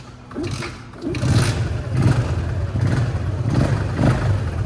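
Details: LC two-stroke motorcycle after replacing a rotted fuel hose with 6mm car hose: kick-started, catches and revs up cleanly, settling into a steady buzzing run with no misfire or stumble.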